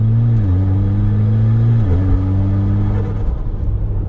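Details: Mitsubishi Evo X with high kilometres and a rebuilt SST dual-clutch gearbox (50,000 km on rebuild), driving: engine climbs then drops quickly and cleanly at two crisp upshifts, no slip or flare; normal upshifts.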